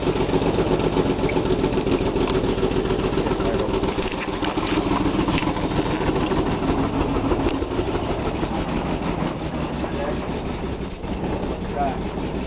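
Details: Nissan 300ZX (Z32) starting and idling: fast, uneven ticking about three or four a second over a lumpy idle. Rough running; bad injectors suspected.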